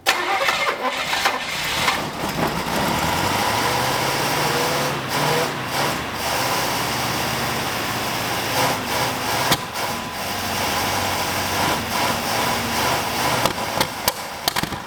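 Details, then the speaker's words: 1965 Buick LeSabre V8, sitting 34 years, first start attempts: starter grinds in repeated bursts, catching briefly then dying. Idle suspected too low, out of gas suspected; carburetor float later found set too high and lowered. "all right try it again what the heck I think it's out of gas"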